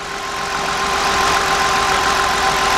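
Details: 2000 Mercury Cougar with an ignition misfire, idling: steady idle with a faint uneven stumble under a constant whine, before checking with a current probe on the coil wiring harness.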